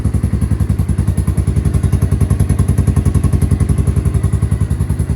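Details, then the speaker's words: Three-wheeler started cold with the choke out after its dead battery was charged: steady, even low thumping with a quick regular beat and no knocks or misses. The engine runs cleanly. "well we got the three-wheeler running"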